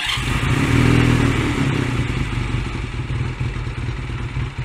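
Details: Honda Rebel 125 single-cylinder started after seating the idle mixture screw under the carb and backing it out one full turn; catches and revs, then a loose uneven putter that sags and wavers, idle not yet steady.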